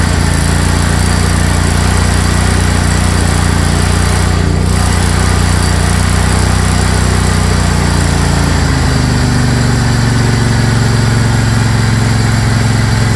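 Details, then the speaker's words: Craftsman GT tractor (model 917.258873) with 18.5 hp Kohler CV18S 624cc V-twin, formerly hard-starting, running after carburetor replacement (Kohler 24 853 41-S, new gasket); steady drone with even pulses, smooth speed drop near end without stumbling; normal running. "all right well appears everything's working good so I'll button it all up again"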